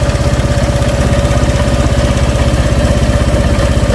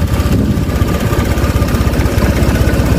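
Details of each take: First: Honda Vario Techno 125 scooter, cold, with stuttering and weak uphill pull when cold but fine warm: cold idle pulses unevenly and gets lumpier as if about to die, a rough cold idle. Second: Honda Vario 125 with smaller injector fitted and jumpered with a 2 kΩ resistor: low, steady single-cylinder putter about two and a half beats a second, idle no longer dies though low; still slightly unpleasant when revved.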